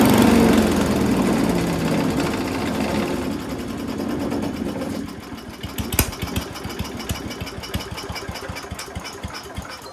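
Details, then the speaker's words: Mighty Mac wood chipper/leaf shredder, previously non-running, small engine first start after priming with gas, runs loud and fast then eases to a steady regular beat without stumbling; runs on its own, though flails had briefly jammed, possibly on a branch. "So it runs on its own now after you primed it a little bit with some gas, which is what I did."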